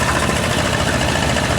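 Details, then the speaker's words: Car AC after refrigerant recharge, compressor now staying engaged instead of cycling, and a fitting leak apparently stopped (O-ring replacement advised): a steady, quiet engine-bay hum with no clatter or squeal. Freezing cold. Normal AC compressor operation. "Oh, the compressor is staying running now. Listen to this. And listen how quiet it got."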